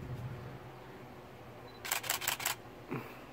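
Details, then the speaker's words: Canon Rebel T7i (800D) camera set to high-speed continuous drive mode: a quick even burst of about six crisp shutter clacks in under a second, then release; normal high-speed continuous shooting. "here how fast that is super fast so there's high speed shooting"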